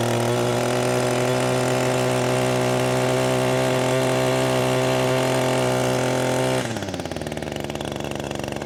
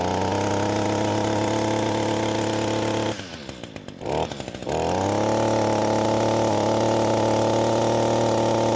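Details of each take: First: Echo SRM-225 two-stroke trimmer after carbon was cleaned from the exhaust port for low power: a high, steady scream held clean at full throttle, dropping smoothly to an even idle. Normal full-throttle run. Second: Echo SRM-225 two-stroke trimmer, screen already removed, carburetor adjusted: even high buzz drops on throttle-off, then climbs to a flat pitch without peaking; low top-end RPM from carbon-blocked exhaust port.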